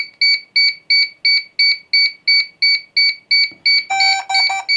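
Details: DJI Air 3 drone after core board repair, linking with its remote controller: evenly spaced high-pitched double-tone beeps at about three per second, then a brief tone change. This is a normal pairing sequence, completed with no errors.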